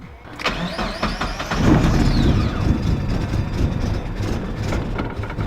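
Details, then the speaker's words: Turbo Miata build on the stock ECU: cranks, catches, idles rough with an uneven wandering beat for about 20 seconds, then won't stay running even at full throttle; untuned for the turbo, MegaSquirt tuning needed. "It started up with the stock ECU for a little while. Started up idle for about 20 seconds, and after that it wouldn't even stay running at full throttle."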